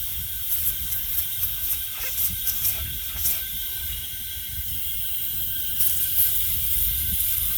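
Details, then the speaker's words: 2007 Freightliner log truck, Detroit Series 60 14L diesel backyard-rebuilt over a year earlier, idling: steady high-pitched hiss under faint engine rumble, compressed air escaping somewhere in the truck's air system, a live air leak found. "I'm still, what the hell? Oh, we're about to find something live right now, a problem. Oh no."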